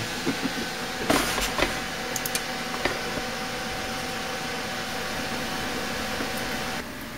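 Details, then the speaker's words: AMD FX 8120 desktop, about 10 years old, running Windows 11 wide open, CPU near 60°C per motherboard; steady loud fan rush with faint constant tone, no rattle or pitch wobble; cooler fan flat out under load, normal. "And I can hear that fan, it's just a screaming. The air coming out the back of this thing is definitely warm."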